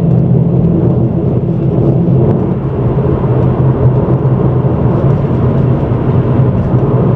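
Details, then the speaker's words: 2016 Cadillac ELR under full throttle with its 1.4 L gasoline generator engine driving the car and the battery not contributing: low, steady, smooth engine drone, mostly buried in road rumble, with no knocks or rattles; normal, not too loud. "I don't know about you I didn't hear anything so the people that claim that the engine is too loud I think I know what they're talking about"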